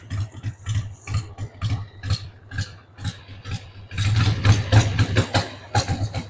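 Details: 1993 Harley-Davidson Sportster 883 Evo V-twin, stored about 15 years, just started on starting fluid with a dead battery: an uneven, lumpy idle of about four pulses a second, beats stumbling and varying in strength. The owner says the carb needs cleaning.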